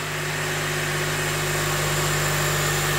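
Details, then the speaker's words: Honda Element after engine replacement, first start, cold, warming up: started right up, even steady smooth idle with no knocks, ticks or misses, no leaks or check engine lights; normal idle. "that started right up you can definitely tell it wants to live looks good sounds good i don't see a drop of anything coming out of it maybe i did it i did it that is smooth quiet and happy just gonna let it warm up"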